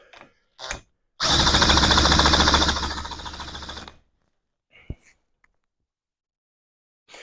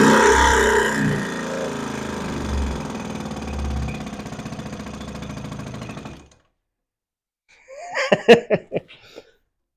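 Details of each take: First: Johnson Seahorse outboard after carburetor refit, cranked with a drill, no choke: quick irregular coughs for about three seconds, then dies. Hard start, fires but won't keep running; owner suspects fuel supply or a closed shut-off valve. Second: Johnson Seahorse two-stroke outboard after refitting the carburetor, running at no choke and almost full throttle: steady, fairly quiet putter for about six seconds before stopping; normal healthy running.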